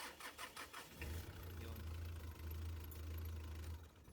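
Starter turns over briefly, engine catches within a second and settles into a steady, even diesel idle; starts cleanly.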